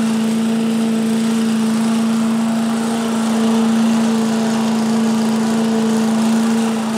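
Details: 1985 Billy Goat leaf blower, Briggs & Stratton 8 HP single-cylinder, after new spark plug, oil change, air filter and replacement gas tank: loud steady drone at constant speed, no misses or surging; normal running.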